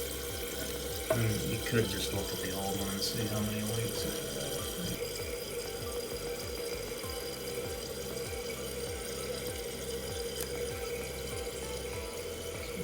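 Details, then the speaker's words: Toilet tank refilling after the water is turned back on following a flapper replacement with a Korky rubber flapper: water rushes in steadily and fills evenly with no hiss or trickle afterward, so the flapper seals and the refill is normal. "you'll hear water start coming in listen for water trickles don't hear it not this time"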